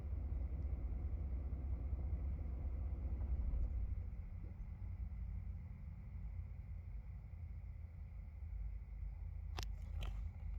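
Low, uneven idle rumble that sags after about four seconds and never settles; rough idle, cause not apparent.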